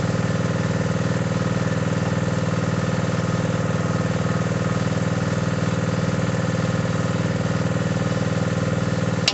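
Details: Mini digger diesel, previously not starting (lazy starter motor suspected), now idles with an even, low clatter and a regular beat, with no misses, knocks or surging; normal idle.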